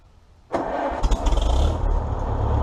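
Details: 1953 Farmall Super M tractor, 12-volt distributor ignition, just after idle mixture and idle speed adjusted: catches straight away and settles into steady, even low idle with no misses or knocks; normal idle.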